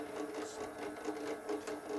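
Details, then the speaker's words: Boring a Stuart No. 9 steam engine cylinder on a milling machine at its slowest speed, using a boring head with a rigid homemade bar and a sharp carbide aluminium insert, fed down slowly: a steady buzzing cut with light rapid chatter, yet the surface finish is good. "it sounds like it's chattering but it's it seems to be okay and we're getting quite a good surface finish"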